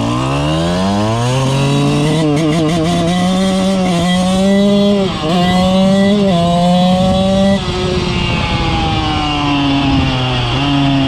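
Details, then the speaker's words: 2000 Suzuki RM125 two-stroke after cleaning and carb adjustment (it had run really rich): spits and sputters easing on throttle in first gear, second clears a little but still sputters mid-range to full throttle, third on clean; owner wonders about clutch but doubts it. "but as you'll see in first gear when you kind of just Ease on the throttle a little bit is spitting and sputtering second gear kind of clears up a little bit but it's still about mid-range to Full Throttle still spitting and sputtering"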